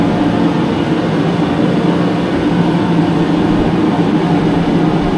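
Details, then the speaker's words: Mr. Heater Contractor Series propane forced-air heater, new, switched from low to max 60,000 BTU: loud steady roar of burner and fan, no pulsing, rattles or pitch changes; normal operation at full output. "Let's turn it on full tilt and boogie right now and see what happens. That's still on low. Let's see what the sounds. That's maxed out, 60,000 BTU."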